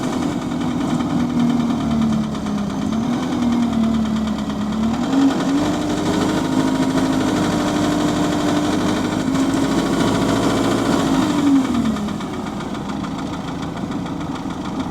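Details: GAL SE101 diesel bus on route, recorded on board: faint, uneven knock under the droning engine note. Rod knock is suspected, not confirmed.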